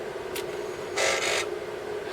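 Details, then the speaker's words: Atari 1050 disk drive (Atari 8-bit) switched on after cleanup: short mechanical buzzing bursts over a steady hum as the head performs its startup initialization seek; sounds normal. "yeah so there is just some sort of initialization goes on there isn't there where it seeks"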